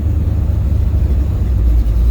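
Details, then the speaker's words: 1969 Pontiac GTO on its first drive after a header leak was fixed (loose bolts, one missing): a deep, steady V8 rumble, firm and even with no hunting, surging or hesitation. It feels strong and healthy. "but you listen to it it's not hunting yet this is my first trip out"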